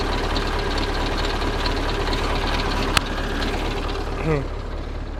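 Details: Soviet-era Kamaz diesel truck, first start after over 6 months of storage, just after field oil change, oil and air filter service; steady, even low chug at idle with no knocks or misses, smoke explained by long lay-up; normal idle.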